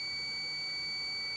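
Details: Mercedes 508D/613D fan thermostat switch bench-tested in heated water then cooling: multimeter holds a steady high continuity beep as the cooled switch closes and conducts; owner finds it slightly slow but okay.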